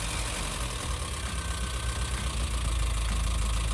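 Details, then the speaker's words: VW Vanagon first start after cylinder head R&R for a cracked head, oil pressure confirmed beforehand. Even, steady low idle with smooth regular beat, no misses or knocks; idling quite good, normal idle. "Oh, it's idling quite good, too. Wow! That's cool."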